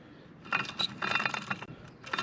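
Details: Polaris General XP 1000 front differential bearing spun by hand, gritty metallic rattle in short bursts; worn, rough bearing, another one howling, replaced with a rebuild kit.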